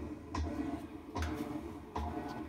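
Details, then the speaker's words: Washing machine in service diagnostic mode, low agitate test: quiet room, soft thump-and-swish about every three-quarters of a second, even agitator stroke; normal agitation, machine fixed. "agitate once that should be the the first test and there we go you can hear hear it agitated"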